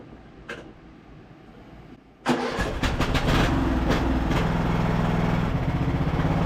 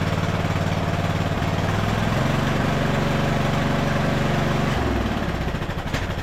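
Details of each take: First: Craftsman LT1000 riding mower revived after sitting, on a 160 CCA battery testing at 164 CCA and 67% charge: a few cranks, catches quickly, then an even steady run with no misses or knocks; normal running. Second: Craftsman LT1000 riding mower after a carburetor rebuild with the needle and seat no longer leaking. It fires with a rough, wavering, lean putter. Cause: the mixture screw was misadjusted; it was richened about a half turn.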